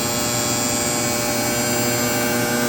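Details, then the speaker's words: Sparx ES200 skate sharpener (August 2022 build) warmed indoors a couple hours after cold failure with code 236: motor holds steady high-speed whir at full RPM with even hiss of wheel cutting the skate, no bogging or stalling; normal grinding. "so right now this does work it's been inside for about a couple hours it's got full RPM and it cuts the"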